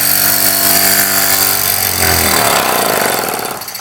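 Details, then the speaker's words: Jensen #5 steam engine running normally with adjustable speed: quick even puffing near three per second with ringing tone that drops as it slows. "there you see it very slowly it's running right now we can easily adjust the speed by adjusting the"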